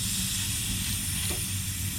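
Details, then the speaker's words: Fiat 500e A/C line fitting slowly cracked open after system was evacuated: constant airy hiss, likely air rushing into the vacuum or leftover gas escaping, green dye dripping; hissing from opened A/C line. "when they evacuate they believe the system at a full vacuum so this is probably just air rushing in"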